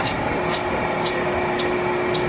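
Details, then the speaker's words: 2009 Mazda RX-8 R3 salvage car, old exhaust removed: rocking the heavy pipe gives bright metallic rattles in bursts about twice a second, broken catalytic converter pieces loose inside; the old muffler had a hole blown through it. "out with the old this sucker's heavy okay i think some of the cat pieces went in here"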